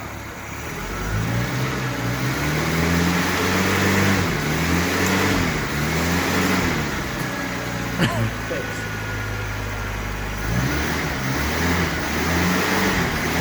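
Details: Barn-find 1980 Suzuki LJ80 at its first start in 15 years, running off a battery pack. Revs rise and fall cleanly in steady swells every couple of seconds, with no knocks or rattles; the engine sounds healthy.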